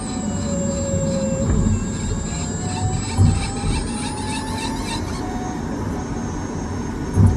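High thin squealing tones drift upward with speed over steady road rumble; an unexplained grinding-type noise while driving.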